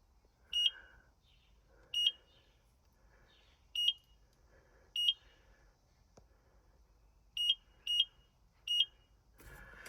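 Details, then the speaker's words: John Deere 7000 planter with Precision meter repower kits and new seed tube sensors, ComputerTrak 250 monitor booting in a quiet cab: seven sharp high beeps at uneven gaps as it counts rows and flags all as failed; normal startup alarm. "It's gonna go through the row count. It's gonna say they all failed, alarm goes off."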